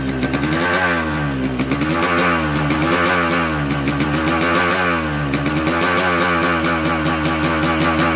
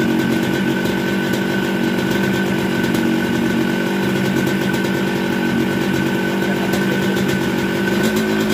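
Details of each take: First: Newly bought Yamaha RX-King two-stroke with 125Z head, block recently rebored, before repair: rough harsh running with gritty clatter under revs; head shows no piston contact, pointing to a worn crank bearing and damaged seal. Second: Yamaha RX King two-stroke with 125Z head, after engine rebuild with new connecting rod and cylinder block for very rough sound, magneto rub ground away; crisp even buzz at steady revs, clean pitch, no knocks or rattles, healthy.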